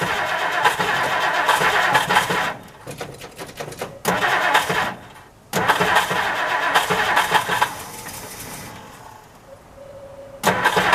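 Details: 1960 Plymouth Fury unused for years, cold start on stale gas with some fresh gas added: long cranking bursts with gaps, then it stumbles and catches. Hard start blamed on old gas, a non-working accelerator pump and a misset choke.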